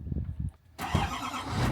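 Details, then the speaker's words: Crash-damaged Chevrolet 2500HD ZR2 Duramax diesel, first start after repair parts and fluids were added: a brief pause, then the engine catches with a rough scraping roar from the engine bay; the owner believes the fan is misseated in its shroud and hitting something. "Luckily the batteries are good, but the noise coming from the engine bay is not. I believe the fan isn't quite sitting in there perfectly with the fan shroud and is hitting something."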